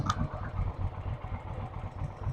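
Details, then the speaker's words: Suzuki Intruder V-twin, first start after carb cleaning, on choke with weak front-cylinder compression: uneven, lumpy idle with a soft clatter, dislikes acceleration; engine running. "Okay, guys. Woo! Okay, we're running. Yeah, we're running."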